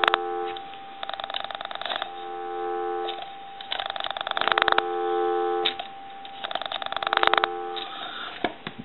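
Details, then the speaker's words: Duck novelty telephone that the owner reports cannot dial out though the ringer works, switched to pulse dialing: steady dial tone continues through bursts of quick pulse clicks and never cuts out; phone not actually dialing, a loose internal wire later found. "the dial tone never goes away so it's acting like it wants to dial out but it's not actually dialing out"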